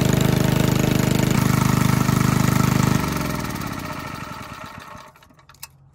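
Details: 1951 Briggs & Stratton 6B-SF single-cylinder, 1.75 hp, rated 3600 rpm, barn find: fires with an even, steady beat for a few seconds, then shuts off and coasts down; runs healthy.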